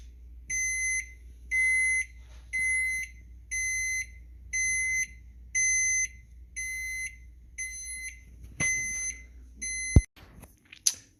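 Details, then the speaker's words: Samsung FX710BGS oven control beeping about once a second with half-second shrill tones, showing error E-0A (overheat) though the oven was never on; failed oven temperature sensor, fixed by replacement. "so you ever get that code the error code e o a that means it's overheating the oven is overheating but yet the oven was never on so couldn't have overheated"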